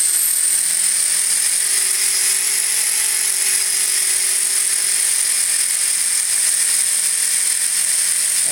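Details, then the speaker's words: Furion 6 helicopter, iKON flybarless governor, Hobbywing RPM sensor, Castle HV ICE II 120 ESC, stunt mode 2: constant high whine at one pitch, no rise and fall; the ramping up-and-down seen during earlier testing is gone, headspeed steady. "i'm just a little curious as to why it was ramping up and then ramping down and ramping up and ramping down during uh doing testing i'm pulled up in stunt mode two right now"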